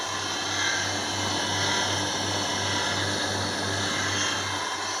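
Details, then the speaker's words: Small electric motor run on a house wiring cable after a short-circuit fault was found and removed: steady low hum and even airy whir, sounding healthy; normal motor running. "यह देखो motor की आवाज आ रही है इसका मतलब motor सही है"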